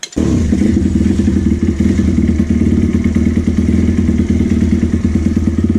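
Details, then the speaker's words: Apollo 150 YX V3 motorcycle with a new crankcase, choke on, single-cylinder revving: loose metallic chatter over the beat, first thought to be the chain but actually the footpeg; loose footpeg rattle. "Comme là, on entendait le bruit de ferraille du cale-pied."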